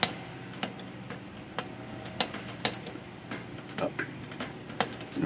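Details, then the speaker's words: Rusty Underwood 5 typewriter being typed: irregular key clacks with short chirping squeaks from the dry, rusty back pivots of the typebars. "the pivots, or in the back pivots, or squeaking. You can hear the squeaking. So, those have to be attended to."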